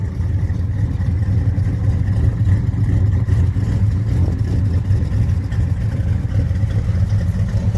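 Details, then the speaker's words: 1966 Chevelle SS clone, 327 small block V8 with 4-speed: deep, steady idle burble, even low rumble, no knocks or ticks; engine sounds healthy. "all right we're back out here we got it fired up sounds healthy it's a top notch car guys"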